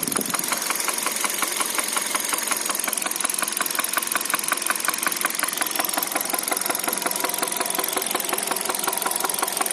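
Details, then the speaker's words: 2013 Hyundai Solaris, 140,000 km, at idle: steady, fairly even ticking knock about three per second. Top-end knock, exact source unclear; owner suspects a valve after the engine suffered oil starvation. "Клапан какой-то. Было масляное голодание двигателя."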